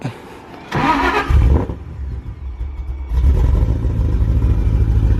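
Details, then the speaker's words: Ford Shelby GT500 (about 900 hp) on its first start on E85 (about 77% ethanol) with a self-loaded base tune: brief crank, then an uneven, lumpy idle before a rev; rough running, check engine light, suspected throttle position sensor fault. "okay she sounds a little rough [Music] dude your tune is bad man it doesn't sound right"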